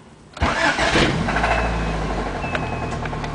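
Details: 1989 Honda Accord LXi petrol engine starts and idles with occasional sharp knocks; rod knock from number 3 rod, stretched end-cap bolts and excessive journal-to-bearing clearance.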